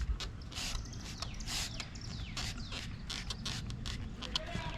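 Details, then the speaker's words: Ford Bronco hard top, rocked by hand, noise heard from passenger side toward the rear: dry irregular creaks and ticks where the top panel flexes at its mount; the top, not the tailgate, is causing the creak. "That's right in there, making all this creaking noise, and wherever I shake it, it's right in here that's making the noise."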